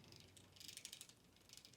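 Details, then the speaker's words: SCX24 1/24 scale RC crawler with Furitek ESC, 2040 inrunner brushless 2280kv motor on 2S, climbing under load: fast light ka-ka-ka ratcheting chatter from metal gearbox gears meshing. Normal metal gear rattle, nothing wrong. "Now that sound is the gears. And here I have those metal gears, and you could hear it go ka-ka-ka-ka-ka-ka. It's just because it's metal gears."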